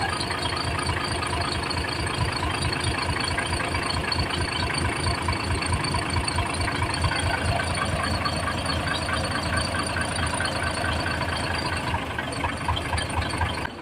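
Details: Fuso 6M70 diesel after a hard start and low power complaint, with the injectors tested and cleaned, then reinstalled: an even diesel beat at idle with a heavy low rumble and normal injector clatter, no misfire or stumble. The engine now runs normally.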